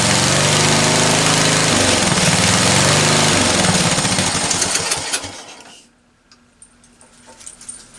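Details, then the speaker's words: Discarded ride-on lawn tractor after the carburetor was cleaned again ultrasonically, on choke: the small single-cylinder chugs at a fast, regular beat about five seconds before dropping away. Normal running. "that is sounding actually pretty damn good"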